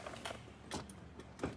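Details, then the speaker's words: 1990–92 Cadillac Fleetwood Brougham power seat recliner button pressed: faint isolated clicks with no steady motor run and slight movement; the recliner transmission under the padding is frozen, not the motor. "you can hear a little clicking noise. It doesn't do anything. It kind of gives a little bit of movement, but it's essentially frozen. It's not the motor."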